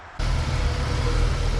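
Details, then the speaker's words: Jeep Wrangler TJ warmed up after a short drive: engine settles into a low, uneven, lumpy idle with battery voltage steady; fuel pressure oscillates at low rpm, owner suspects the fuel pump or its wiring; rough idle, not confirmed. "Well, it seems like the battery voltage is rock solid, even though it's idling rather roughly."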